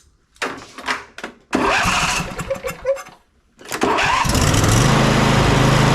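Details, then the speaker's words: Husqvarna YTH22V46 riding mower twin after adjusting excessive valve clearance: several free cranking bursts without hanging up, then catches and runs evenly; low-speed compression release now works, normal cranking and start. "got okay so now what we're having here is that with those valves closer this side is not locking up like it was before that low speed compression release is able to release there and it's able to while this thing's going slow it's able to turn the unit over"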